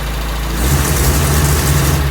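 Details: Toyota Tercel, freshly reinstalled 3A-C engine, idling cold with no coolant hooked up while ignition timing is set. Low, steady rumble with a slight rise and fall. Normal cold idle.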